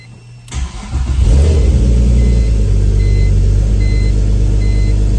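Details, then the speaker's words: Turbo E46 BMW ZHP, cold start on second B-Racing tune, weak battery: brief crank, engine catches and settles into strong even run; normal cold start, now reading better than before when pinned at 22. "That's promising. Cuz before we were pinned out at 22. So, that's looking good. This is a cold start."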